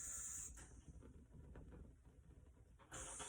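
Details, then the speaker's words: Older Coleman propane space heater held at its start knob during ignition: a steady, airy hiss of gas flow that eases off mid-clip and returns. The knob must be held to pop the internal valve open; this is normal flow. "as soon as i let off the uh trigger there i couldn't hear the gas flow anymore so i kept holding it down to make that little device on the inside pop open to allow that propane to go"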